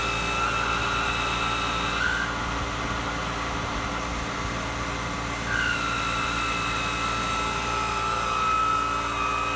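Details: Jandy pool pump running: steady motor drone with a coarse, rough grinding undertone and a thin, high whine cutting in and out.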